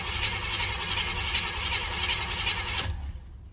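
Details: 305 H.O. small-block Chevy, first cold start of the day at 61°F, choke fully open, unprimed, no pedal pump: even cranking pulses for about three seconds never catch; cranks but won't start.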